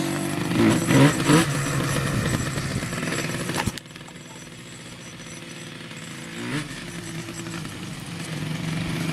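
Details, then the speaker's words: Yamaha Banshee two-stroke twin, barn find unrun for 7 years, new CDI fitted: rough crackling in short revving bursts on starter fluid, then cuts out abruptly and won't restart; owner suspects old oily fuel in the lines plugged the carburetor again. "they just shut off and it wouldn't start back up what i believe the issue is here is that the fuel lines were filled with the old junk oily fuel and i think i plugged up the carburetor again"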